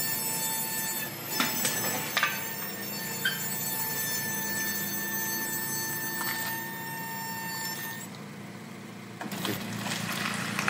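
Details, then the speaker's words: Honda Jazz GK5 (T5A): steady high-pitched squeal for about seven seconds when braking and pulling away, then cuts off; owner suspects worn, thin front brake pads needing replacement, not yet confirmed. "Okay guys, jadi kau dah tengok eh, ada bunyi bila break sambil go start. Jadi bunyi tu saya suspect brake pad dah haus, dah nipis, dah perlu tukar."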